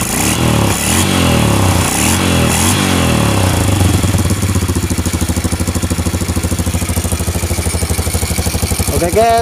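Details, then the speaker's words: Honda Revo Absolute motorcycle, rebuilt engine just reinstalled in frame, first start: catches then settles to an even putter about three beats a second, no knock or rattle; normal idle. "Oke ini mesinnya telah kita naikkan pada motornya kemudian kita coba Nyalakan motornya"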